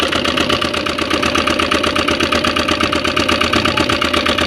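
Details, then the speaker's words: Yamaha Aerox V2 scooter with long-standing engine noise; rocker arm was replaced before but the noise returned within days: loud, fast top-end clatter from the cylinder head as the engine struggles to keep running and is hard to start; cause suspected, not confirmed. "Grabe ingay ng makina. Ayaw na dumiretso."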